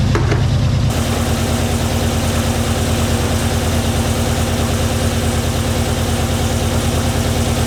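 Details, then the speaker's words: Turbo street truck build, first start before turbo fitted: steady idle with light even tick about three a second; thought top-end valvetrain, possibly lifters, unconfirmed; water then from exhaust, blamed on gasket paper, oil filter to be checked. "sounded top end. Did it? To me, it did."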